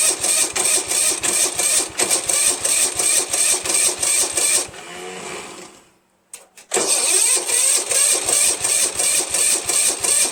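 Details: Starter gear hanging up: slow, labored cranking at about three beats a second that stops, pauses and drags on again without catching. The weak starter smokes, partly burning off penetrating oil, and is to be replaced.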